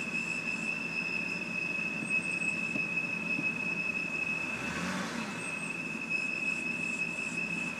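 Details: 2007 BMW 328i automatic, parked: a thin high-pitched whistle over idle with a brief rise as the revs jump on braking; idle flutters 600–700 rpm and it stalls when stopping. Suspected crankcase vent valve, unconfirmed. Whistle with surging idle.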